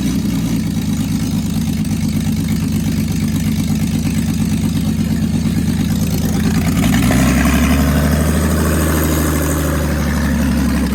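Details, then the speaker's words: Jeep engine first start after reinstall, no exhaust fitted, running open headers: very loud, raw, blatting idle rising into a harsher rev; flames shot out, probably oil burning off. "he's jumping at the headers which is why it's so loud right now Sydney we did it cuz there's no exhaust on right now"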